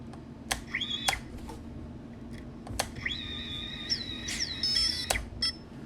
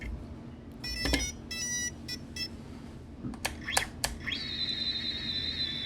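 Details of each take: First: Tiny whoop FPV drone, after the ESCs were reflashed and the original motors resoldered: high chirps and a few clicks, but one motor never spins up. Owner thinks the ESC is dead. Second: Tiny whoop all-in-one flight controller, after the board was cleaned with isopropyl alcohol and the motor resoldered: clear short high beeps, then a steady rising tone. The ESCs initialise normally, having previously failed, likely because a solder blob was bridging near the FETs.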